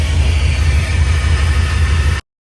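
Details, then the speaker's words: 1967 Chevrolet C10 with LS V8 swap, plugged injectors being serviced, engine at 60° cold start: lumpy, uneven loping idle instead of a smooth V8 burble; one bank dead because its injectors were left unplugged. "I started it up and it sounded little odd. I was worried. All these cylinders were firing. I went to that side. None of those were firing. I forgot to hook up any injectors."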